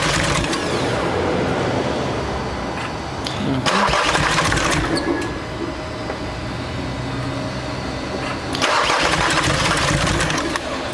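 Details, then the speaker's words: VW Amarok diesel cranked by starter after a failed timing belt was replaced with a new one; long, quick, even cranking that never fires; open valves suspected. Cranks but will not start. "wider up mate i think that's got open valves"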